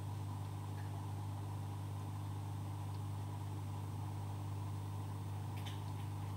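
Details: Oase Biomaster Thermo 350 aquarium canister filter running after cleaning and priming with the prime button: a low, steady hum with no clicks or rattles, indicating normal quiet operation.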